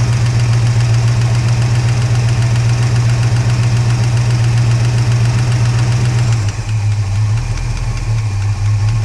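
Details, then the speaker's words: Holden HK engine at rough idle: quick regular tap about three or four times a second; noise stops when that pushrod is held up, only one non-adjustable hydraulic lifter noisy; owner suspects debris blocking it, may change oil. "definitely listening hard as it gets so I hold that bush Rod up the noise goes away I put down on the list and the noise goes away"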